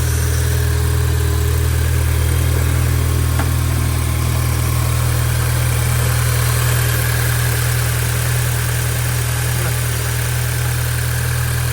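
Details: VW MK5 GTI 2.0T FSI, just started after cam follower replacement and fuel pump reassembly, no fuel leaks: steady, even low hum with no knocks, misses or rattles; normal healthy idle.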